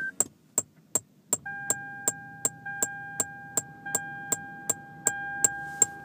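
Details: Lexus LS600hL head unit, volume suddenly stopped working: steady high continuous beep with sharp ticks about three times a second that never lets up; cause unknown.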